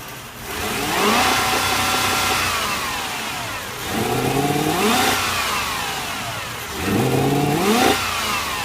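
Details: Toyota 1UZ V8: three sharp revs rising and falling over an uneven, lumpy idle between them; rough idle, cause not clear.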